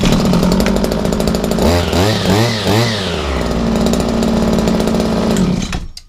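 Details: Owner's own two-stroke strimmer, started after sitting all winter on a chilly, frosty day. A crisp whine blips up and down a few times, settles to an even idle, then stops cleanly; it runs healthy.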